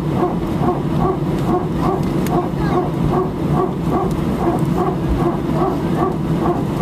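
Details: Repetitive bark-like pulse about twice a second over steady cabin hum while taxiing for takeoff, heard from seat 18F in an Air France A319 at Sofia, source not identifiable by ear.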